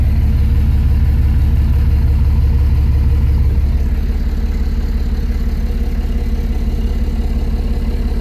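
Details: 2006 Dodge Ram 2500 diesel at idle, put into gear at a stop with foot on the brake, after something let go in the transmission: idle pulls down hard and stays low and labored as EGTs climb; engine lugging in gear, cause not confirmed.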